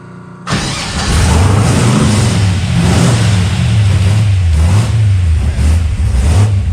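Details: Henry J gasser being sorted for wiring issues and running on after switch-off: with the fuel pump switched on it catches after a moment and settles into a steady, even run with small throttle blips, no knocks or misfires; normal running.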